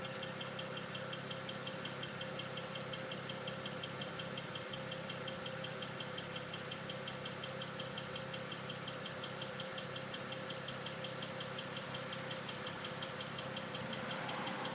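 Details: BMW N54 direct-injection engine at idle: light, fast, even ticking. This is the normal injector noise of this engine.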